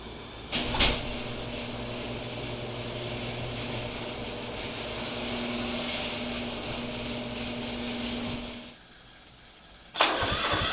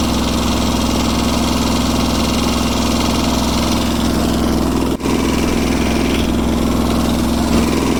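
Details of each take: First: Restored Kubota G4200 garden tractor on blocks, first start after final assembly; the whole fuel system had been redone and bled: starter churns steadily about eight seconds, roughly four compression beats a second, never catching. Cranks, no start; cause unconfirmed. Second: Kubota G4200 garden tractor after restoration, first start: steady, even idle with soft regular beat and no knocks or misses; engine running healthy.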